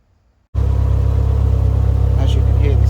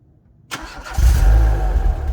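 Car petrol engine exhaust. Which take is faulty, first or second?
first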